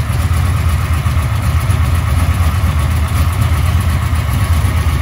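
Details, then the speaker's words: 1996 LT1 383 V8 with Holley Terminator X EFI on an engine test stand, open headers, fuel pressure about 41 psi: deep, choppy, uneven loping beat; lumpy cam idle, engine sounds healthy. "that's probably like three parts down at the bottom and two up top yeah now it's doing some good loping"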